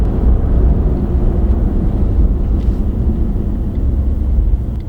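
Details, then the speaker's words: Ford F-150 EcoBoost twin-turbo with 6-speed transmission, decelerating to a stop: an even low rumble fades smoothly, with no whine, clunk or grind. It is typical front differential noise, normal and not a concern. "You can hear it, and a lot of it is the front differential. They're notorious for making noises, but that's typical. I've been in brand new ones that make more noise than this one, so it's nothing to really be worried about."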